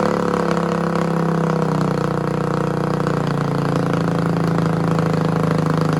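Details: Yamaha 225DR Tri-Moto under restoration, cold, choke given by hand: the small single-cylinder engine idles steadily at an even, unbroken pace with no knocks or misses; runs normally, though rear swing-arm bearings are worn out.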